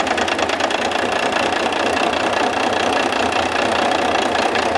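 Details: International DT466 diesel on a lab stand at idle, one injector line cracked to check fuel delivery: busy clatter turns uneven and lumpy as that cylinder drops out; injector cut-out (dead cylinder) test.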